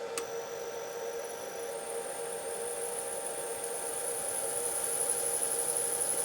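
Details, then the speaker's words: Myford Super 7 lathe after the new control box and inverter install, run forward from the external controls before the clutch is engaged. Motor and belt spin with a quiet, even hum and a faint steady high whine, no knocks or rubbing. Normal running. "okay so if you can hear that the motor and belt are spinning and if i engage the clutch"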